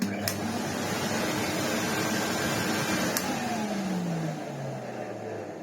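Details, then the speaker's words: 1987 Hoover Sensotronic System 20 vacuum cleaner: steady hum with an annoying grumbling whine sliding down in pitch as the motor coasts to stop; suspected failing motor bearing, suction still good. "That is the annoying sound that this machine has."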